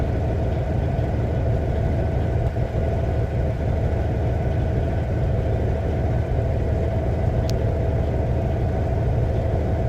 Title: Rough idle Cummins ISX 2006 CM870